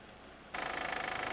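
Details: 2001.5 VW Passat 1.8T automatic, 98,500 miles: after a quiet start, a fast, even metallic rattle sets in at idle; the cam chain tensioner was going bad, and replacing the chain and tensioner fixed it.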